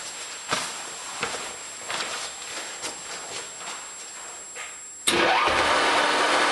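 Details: American Pacemaker lathe test run after reassembly: a few faint clicks, then the motor cuts in with a steady hum and short rising whine as it spins up; normal start.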